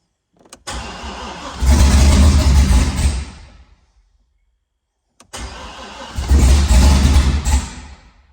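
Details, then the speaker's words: Car after transmission rear-cover work, recently fixed fuel leak, half tank: two cranking bursts, each catching and chugging roughly then dying. The engine is fuel-starved because an unhooked ground left the fuel pump not kicking on, though oil pressure builds. "So that ground right there wasn't hooked up, and the fuel pump wasn't kicking on, but it was running. You heard it chugging along."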